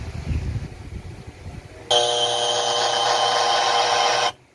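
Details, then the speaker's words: Concert 302 audio amplifier: steady loud buzzing hum even with the master volume off. "pansin niyo na guys umugong yung amplifier kahit naka-off na yung kanyang volume"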